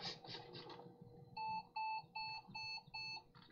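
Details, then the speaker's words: A vintage laptop running Windows 98 on battery power gives five quick, evenly spaced mid-pitched beeps, a low-battery warning that the battery is nearly empty; its hard drive had just been clicking and failing. "Now it's complaining the battery's gonna die."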